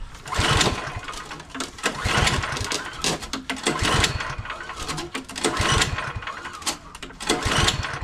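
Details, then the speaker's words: MTD Pro 21-inch snowblower, 179cc four-cycle, after sitting, with the carburetor bowl cleaned, fresh gas, choked and primed: repeated pull-cord rasps, each giving a brief sputter before dying; no start; owner suspects debris inside the carburetor. "maybe there's something that's stuck inside that I didn't see inside the carburetor that needs maybe needs to be cleaned out that's keeping the engine from starting it's Butters a little bit not much"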